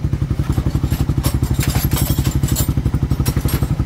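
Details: Motorcycle engine idling after reassembly following a screw getting inside it, clutch pressure plate replaced: steady, even thump about thirteen beats a second, no clatter or misses; now quiet and healthy.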